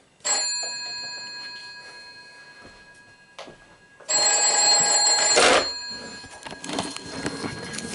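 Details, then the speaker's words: Telephone on a PBX, rung by dialling 101: two clear bursts of bright metallic bell ringing with quiet decay between; normal telephone ringing. "Now I'll ring this one. It won't ring in a double ring. I don't know if I'll be able to do a double ring either."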